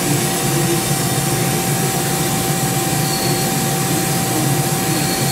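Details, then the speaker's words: Live tool gears on a 2005 Mori Seiki 1500SZ turret, turned on manually to check the gears inside: steady high-speed whir, constant tone and even gear hum, slightly noisy but sounding healthy. "so you just manually go through that that's fine that gets a little noisy at 6,000 it's okay I got it I'd rather hear the noise and and and know that there's no issues"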